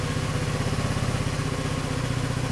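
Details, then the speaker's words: GY6 scooter engine, about 4,000 miles, after starter repair (oil-filled starter with shorted winding sealed, new O-ring) fixing hard cranking: fires right up into a steady, even low putter with no knocks; normal idle. "okay it's all back together I'm going to give it a try I got this taped so I have to hold it like hold the camera go on fires right up"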